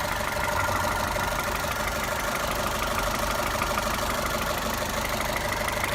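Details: Toyota 1.8 VVT-i engine at idle: steady even rhythmic ticking around three per second over a busy mid-pitched hum; top-end noise, cause unclear.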